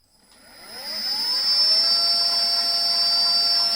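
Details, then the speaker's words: Lexus GS450h transmission with Camry inverter on bench test rig, powered up spinning MG1: high steady inverter whine rising as motor spins up, then clean even pitch; normal motor and inverter whine. "so the system is all powered up I don't know if you can hear the inverter wine and high-pitched noise"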